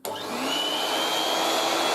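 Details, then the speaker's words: 1980s French Moulinex Aspirateur No1 237/320 handheld vacuum, first switch-on with extension hose and upholstery tool; motor spins up quickly to a steady high whine, even pitch, no rattle or grinding, fair suction; normal running. "quite quite a bit suction actually from that not not the most powerful but quite fair sounds more like electric"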